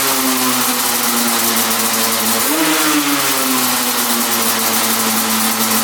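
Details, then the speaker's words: 1995 Yamaha Banshee 350 two-stroke twin, first start after 18 years in a barn, fresh 40:1 premix: steady, busy idle with one short blip. Carb idle set too high, about to be adjusted. "oh yeah she fired up idle was set a little high so let's uh set those idles"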